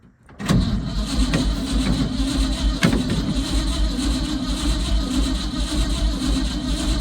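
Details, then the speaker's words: Old Ford F100 bought sight unseen, battery reading 12 V: starter turns engine slowly and laboriously without catching; weak battery, starter and solenoid confirmed working. "Well, at least I know I got a battery problem. And the starter works, and the solenoid to the starter works."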